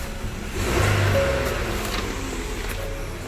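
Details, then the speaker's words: 2013 Ford Explorer after replacing bank 2 catalytic converter, start and idle: engine catches and settles into smooth even idle, no exhaust leaks or screeching; normal engine start and idle. "sounds healthy won't hear nor exhaust leaks perfect sweets"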